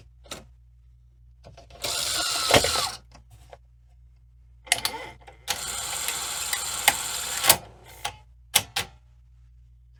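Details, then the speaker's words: 1986 Sony SL-700 Super Beta Betamax VCR: loading a tape gives whirring gear and motor bursts that start and stop with quiet gaps, hesitant loading; dirty switches are suspected. "just dirty switches it seems a little hesitant doing things"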